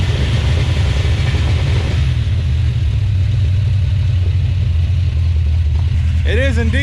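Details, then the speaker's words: 1970 340 Duster, first start attempt: a deep V8 rumble that stumbles unevenly, with beats dropping out as it revs. It is missing; owner suspects an old worn-out truck engine. "you can hear it um that's probably just an old worn out truck engine who wouldn't thunk it transmission works both tires spin they make some weird sounds out back and the engine doesn't sound very happy"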